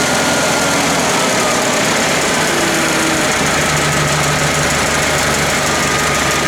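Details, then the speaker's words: International IH 354 tractor, after cleaning the points and resetting them to 14 thou, running steady and even with no sputter; the hesitation was an ignition problem, not the carburetor. "Okay, so I took it for a more extended test and actually did some mowing for about 10 minutes, and it's running now. Seems to be good. So it was an ignition issue"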